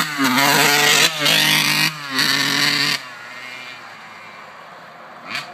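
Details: 1991 RM80 two-stroke with horrible bogging: ringing revs stumble in short bursts then drop to idle, despite new carb and cleaned air box; cause unknown.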